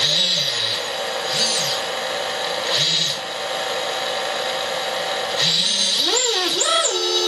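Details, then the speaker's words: ImmersionRC Vortex 250 Pro quad with X4R-SB SBUS receiver and FrSky Taranis Plus, armed: motor whine rises and falls smoothly in short sweeps with stick movements, each speed change following cleanly; motors respond normally. "so to arm is down into the right so as you can see the motors all start up"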